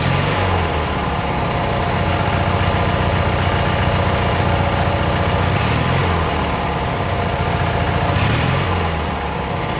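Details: Abandoned 1996 Briggs 17hp I/C flathead opposed twin, running on its own for the first time in over ten years: steady low idle with a slight lope, no stalling or missing; normal idle.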